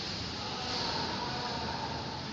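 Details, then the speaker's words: Samsung washing machine after repair of a spin noise issue, spinning at 700 RPM; steady, even whir with no knocking, banging or scraping, much quieter than before; normal spin. "देखिए, जैसे पहले आवाज़ कर रही थी, अब उतना की आवाज़ नहीं है मशीन में। आप देख सकते हैं हमारी मशीन स्पिन मोड पर स्टार्ट हो चुकी है और नॉर्मली वर्क कर रही है।"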